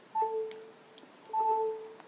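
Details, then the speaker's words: Two short two-tone chirps in a quiet room as phones and tablets reconnect while an overloaded 4-port AC wall charger cuts out and back in with four devices plugged in. "And now you can hear the phones all chirping as the power supply is clicking off and on because it can't handle the current load."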